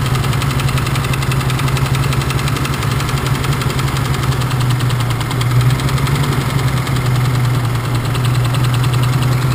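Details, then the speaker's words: BMW engine at steady idle with a faint, regular knock under the low rumble while cylinders are disabled one at a time to find the knocking one; the knock doesn't change as cylinders drop out, source still unknown. "ну наверное давайте определим какое этот у нас стучит цилиндр сейчас сашка заведет а я буду по одному цилиндру снимать"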